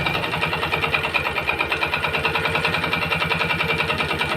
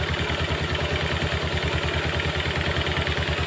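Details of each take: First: Yamaha Jupiter MX motorcycle that smokes and knocks, before teardown: light, fast ticking clatter rides evenly on the idle, no connecting-rod roar; suspected piston, not yet confirmed. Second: Yamaha Jupiter MX after repair of a smoking, clattering engine (damaged cylinder block and connecting rod replaced): smooth, even idle with evenly spaced exhaust pulses, open-carb intake hiss from the unfiltered carburetor, and no knocking.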